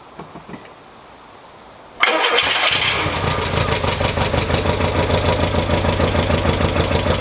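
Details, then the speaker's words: 1987 Mk2 Jetta GL automatic, first start after new starter and two gallons fresh fuel, sat about 1.5-2 years: settles into busy idle with fast, fairly even light tick from the front; oil unchecked, may be low, cause unconfirmed. "i will say she is a little ticky in the front but i don't know the last time this car actually ran i think it's been about a year and a half two years or so um and i also didn't check the oil so it might be low on oil"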